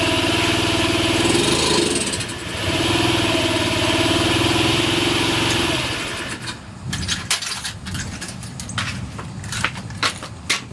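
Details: Honda Ruckus, cold engine, after new spark plug, cleaned carb, new battery: runs roughly about six seconds then sputters, pops and dies; just about stalls with any throttle, and the owner plans to test another ECU.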